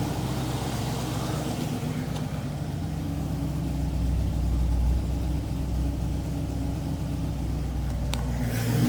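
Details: TVR Griffith 500 V8 at first start after extensive work, new HT leads with original extenders, coolant being topped up. Deep, even burble with smooth pickup on a light rev blip; no misfire or tapping, normal healthy idle.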